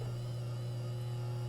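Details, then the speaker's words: Older Kenmore sewing machine that was fully seized, just freed and belt retightened: steady low electric hum, motor straining, described as sounding like a tractor as it starts moving. "oh she sounds like a tractor there we go that's the part I like the best"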